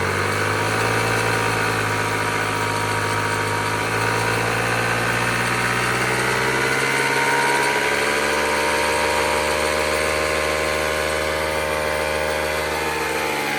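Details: 1986 Honda Spree two-stroke scooter, bought cheap, original carb ultrasonically cleaned: buzzy idle holding a steady pitch without stumbling or dying; normal idle.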